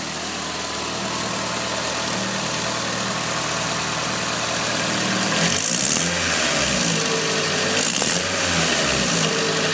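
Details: Nissan SR20DET with T28 turbo: crisp, fairly regular tick of about four per second over the idle, rising with each blip; owner suspects a bad exhaust leak where the T28 flange bolts to the manifold, unconfirmed.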